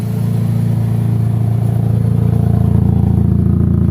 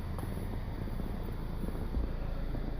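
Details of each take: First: Chevrolet HHR idling, heard at the rear: loud, deep, raspy puttering about three beats a second from a hole in the exhaust before the muffler, making the car loud; check engine light on. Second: Chevrolet HHR idling with low, even exhaust rumble, no puffing, ticking or leak over some wind; exhaust now sealed and quiet after repairs, just before a test drive where it failed to shift (TCM suspected). Normal idle.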